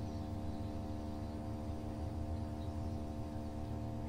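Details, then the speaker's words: Samsung Digital Inverter direct-drive washing machine loaded with wet clothes, spinning up after balancing: a low, even drone with no knocking or grinding. The motor is very quiet compared with conventional washers, a normal spin. "ahí va ya está empezando a agarrar más velocidad se está escuchando directamente en el motor se escucha Y fíjense como el motor es tan silencioso que no se escucha como las lavadoras que tiene el motor convencional"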